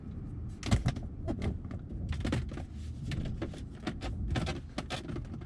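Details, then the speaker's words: 5th-gen Chevrolet Camaro SS, aged and high-mileage, driving normally over bumps and hills: irregular sharp cracks and creaks over road rumble from worn interior plastic trim rubbing. "That sound is what you hear when you sometimes go over bumps or you're just driving normally and you go over a hill. You hear that and it's just very frustrating, and it just sounds like your car is essentially breaking apart."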